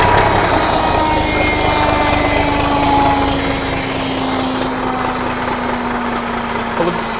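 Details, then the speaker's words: 1963 Mack F600 diesel truck firing up: steady whirring tone lingers and slowly drops in pitch after the engine fires, as the starter hangs on; owner suspects a worn starter valve. "didn't say the old starter valve must be a little bit buggered I reckon because as you can hear it hung in there for a fair while"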